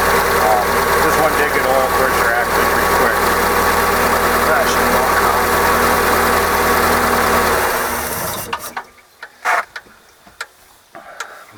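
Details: OMC 140 sterndrive after oil change, running in garage on garden-hose water, carb recently cleaned after sitting 18 years: even, steady idle with no knocking or hunting for about eight seconds, then clean shutdown; normal idle.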